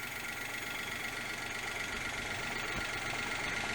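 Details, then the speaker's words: Daewoo Matiz small petrol engine after fitting a new idle control valve, following earlier idle trouble: steady, even idle with a light ticking hum and no stumbles or hunting; normal idle. "so um i've no idea what was going on there but it's okay she will go to the ball i was worried there for a minute but uh that sounds all right"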